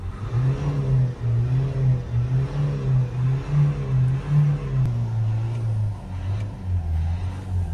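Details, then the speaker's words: 2010 Nissan Qashqai 1.5 dCi diesel, 59,000 miles, previously unable to exceed about 1500 rpm from a heavily blocked DPF, now after DPF cleaning, blipped up and down with smoke clearing: clean, free revving with no bogging or warning lights; normal free revving. "it's clearing away a little bit now so it's reving up nice and freely now that feels absolutely perfect"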